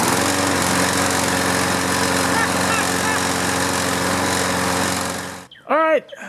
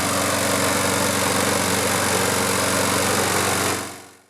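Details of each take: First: Toro Recycler mower with a Briggs & Stratton engine: hard to start, it runs with an uneven, lumpy beat for about 10 seconds and then cuts out. Diagnosed as a carburetor clogged by old fuel or debris. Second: Toro Recycler mower, Briggs & Stratton engine, after draining tank and cleaning clogged carburetor: steady even buzz nearly four seconds, no surging or misfire, winds down cleanly at shutoff; fixed.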